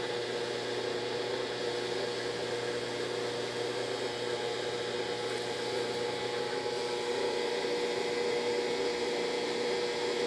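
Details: Brastemp BWG11AB washing machine stops mid-program and won't spin; steady loud hum with constant mid-pitched whine, motor straining but drum never comes up to spin.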